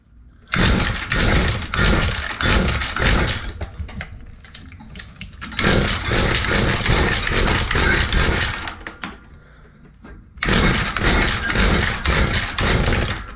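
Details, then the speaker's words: Mantis two-stroke rototiller, weed-eater-sized engine, after carb cleaning, not choked: catches and buzzes after each pull, then sputters and dies; spark plug very wet, flooded with fuel, owner suspects weak spark. "very very wet spark plug so we know it's getting [Music] fuel"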